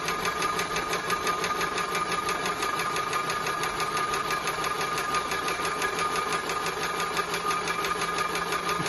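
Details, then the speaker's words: Maxitrak 5-inch Alice steam locomotive, brand new, pump test with tank full of cold water, bypass opened and closed to clear air: steady quick ticking about three beats a second with light ringing; pump working normally. "a good way to see whether the pump is pumping as well is fill the tank completely to the top that way if it's pumping the water level goes down and you can see it"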